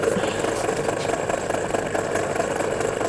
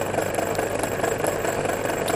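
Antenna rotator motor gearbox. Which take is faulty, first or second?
second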